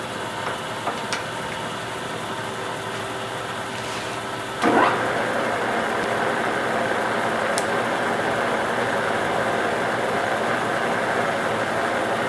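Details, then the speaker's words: Shop-built gear hobbing head making first cuts; steady spur gear whine rising as the head speeds up and cuts, no once-per-rev thump heard anymore. Normal spur gear whine. "Cofe you can hear a little more it's just it's spur gear line I'm not hearing the one from Rab in there anymore"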